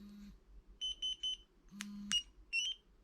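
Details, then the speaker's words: Spy 5000 two-way motorcycle alarm locate button pressed: three quick high chirps, a short low buzz, then a rising chirp. "and then the fourth one is a kind of a detect button so you press that in a car park if you've lost your bike"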